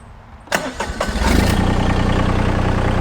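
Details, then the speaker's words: Massey Ferguson GC1723e sub-compact tractor diesel, started in neutral: a few quick cranking chugs, then catches and settles into an even, steady idle; clean, healthy normal diesel start. "so let's crank it up and make sure it's neutral"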